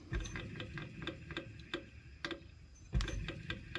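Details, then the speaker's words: New alternator for a 1998 Ford Mustang GT 4.6L 2-valve SOHC, turned by hand on the bench before fitting: light irregular dry ticks, several per second; owner guesses it is just the brushes. "yeah this here this noise that's probably just the brushes"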